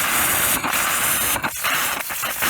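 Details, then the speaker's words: Drip irrigation system first run of the season at an orchard: steady hard hiss with dropouts and spitting bursts as trapped air is bled from the last riser to purge the main manifold before water follows; normal bleeding. "water and i want to get as much of the air out as i can from the main manifold"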